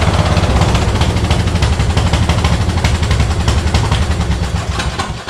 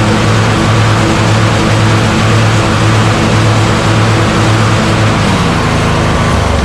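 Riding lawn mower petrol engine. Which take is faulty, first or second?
first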